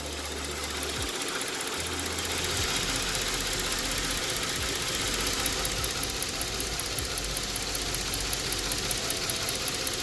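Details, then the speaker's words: 2008 Ford Edge 3.5 L V6, 122,000 miles, warm idle with uneven stumbling beat and faint tick, still misfiring (cylinder 3, P0303/P0203), long-term fuel trim lean +25.8%; injector circuits being tested, cause not confirmed. "all right so he's still misfiring"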